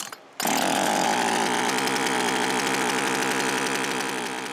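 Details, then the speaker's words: Older chainsaw two-stroke after installing a budget replacement carburetor, first test run without air cleaner; high buzzy wail wavering at full throttle, high-speed mixture needle needs adjustment. "After a small adjustment to the high-speed mixture needle, the forgotten little saw runs like a champ."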